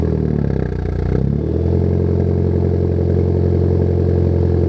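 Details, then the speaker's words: Ford Focus ST after a track day with a boost problem, first start in about two weeks: cranks, catches after a second, settles into a low, slightly uneven idle; rough idle and poor low-speed drivability, cause unknown to owner. "Well, as I'm about to show you guys, the car does not really like to drive very well at a low speed or idle very well."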